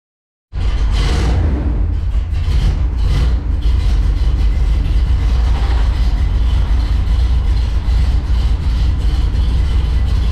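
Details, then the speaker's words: 1974 Corvette 454 V8 after tune-up with new spark plugs and oil change, following rough running from fouled plugs after winter storage: deep, steady rumble picks up cleanly after start and runs evenly, much happier. "Spark plugs put in, is running great. It's a lot happier."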